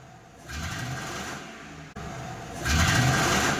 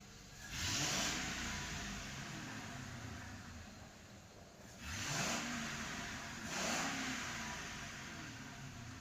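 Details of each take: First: Mercury car revved twice with the check-engine light on: rough, uneven rev as it misfires and loses pickup; scan shows misfires on three cylinders. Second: Car that had set misfire codes (P0300), after the fault codes were cleared: three quick petrol engine throttle blips, each rising and falling smoothly with no stumble or popping. No fault codes; normal revving with no misfire.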